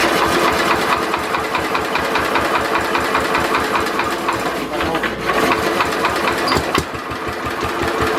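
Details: Simplicity Landlord 2010 tractor engine running after the oil seal was replaced and the engine was bolted down: uneven, repeated knocking, two or three a second, over the idle; owner suspects a rod knock, and the carburetor still needs tuning.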